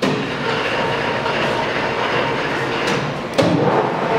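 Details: Leblond 19.5 x 105 Servo Shift engine lathe, limited use, spindle running at 513 rpm: steady, even mechanical whir from the spindle and gear train, no knocks or grinding. Healthy lathe running normally.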